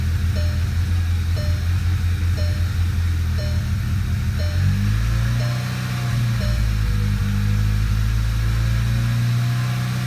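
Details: VW GTI 2.0 TSI at idle: low rumble dips and surges near five seconds as revs jump and engine shakes, chime ticking over it; cylinder misfire.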